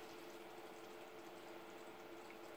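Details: Custom PC water cooling loop (i9 9900K, twin GTX 1080 Ti, large radiador) being filled and primed; faint steady low pump hum with watery gurgling and hiss as air bubbles pass through the partly filled loop, no leaks so far; air in cooling loop during priming.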